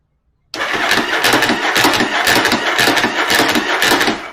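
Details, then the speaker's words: Starter after installing Bendix clip clamp on drive gear, battery boosted: steady, even cranking about two turns a second, slightly slow, no slipping or grinding, starter stays engaged; normal cranking. "Well, look at that. That little clip thing actually helped quite a bit. It's not missing at all now."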